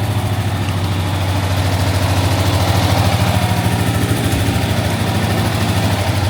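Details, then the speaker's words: 20-foot Daimler Majestic Major limousine with a Hemi V8, still warming up. Deep, even idle burble with a regular pulse and no knocks or misses: a smooth, healthy engine. "it sounds really well though very smooth got to warm up a little bit it's a very smooth engine isn't it"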